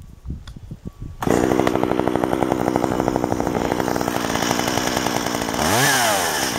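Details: Stihl 193T chainsaw, warm, after carburettor retuned with a tachometer (previously too lean since new), about 700 rpm change: catches after a few pulls, steady even idle, picks up cleanly on throttle; runs strong and healthy.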